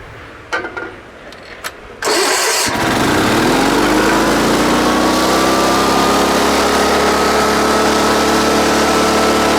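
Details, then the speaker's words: Sears Suburban SS16 garden tractor, 16 hp Onan twin, sat for years; after cleaning and refitting parts it clicks, catches in about two seconds and settles into a steady drone, but runs at the wrong speed. "So it does start up and run, and what made the difference is when I took these out and cleaned them and put them back in there. But I don't like the way it's running that speed."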